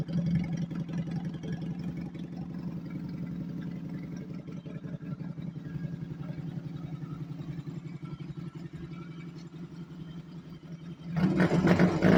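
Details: 1992 Honda Nighthawk 250 converted to dual sport, with stock jetting, airbox and air filter: steady, unhurried low idle putter around 220 beats a minute, with a brief throttle blip at the end. Healthy idle.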